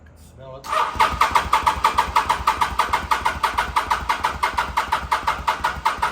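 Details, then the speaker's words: 2005 Kawasaki VN800C, about 130,000 km, first start attempt after roughly 10 years stored, petrol of unknown age, oil unchecked: slow labouring crank, about three compression beats a second, never catches; battery suspected weak, recharged afterwards. "Oh, I'll put the battery on uh charge again and we'll have another go."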